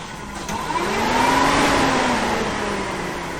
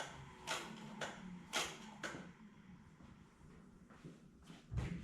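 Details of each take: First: 1974 Chevy Nova with a new Chevy 350 V8, first crank before first start; the starter whine rises and settles smoothly for about three seconds with no grinding or clicking; the engine cranks over fine. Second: 1974 Chevy Nova with a new Chevy 350 engine and dual-chamber Flowmaster exhaust, on first start: a few clicks, cranking, it catches, then a whirring winds down; abnormal noise that owner hopes was the starter hanging up.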